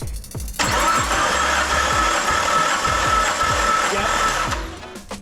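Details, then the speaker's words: Nissan C33 Laurel RB25, compression test with coils and plugs out: starter spins engine with even compression pulses about two per second; cylinder one reads just over 125 psi on a gauge about 20 psi low, nothing concerning. "oh we got good compression on the first one showing just over 125 on the gauge here"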